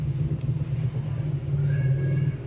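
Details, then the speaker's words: Polytron single-door fridge that was not cooling, compressor running after refrigerant charge to about 60–70 PSI; manifold pressure dropping, current 0.75 A (normal for a single-door fridge), condenser warming; steady even low hum, no knocking, healthy. "ini sudah nyala artinya di bagian manifold sudah turun dan untuk ampere di sini menunjukkan 0,75 ya biasa ya untuk kulkas satu pintu 0,7"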